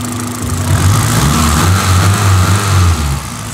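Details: Toyota Corolla XRS after a timing chain cover gasket job idles smoothly and evenly with no knocks or ticks. One onlooker thought a slight misfire might show when revved, which was not confirmed.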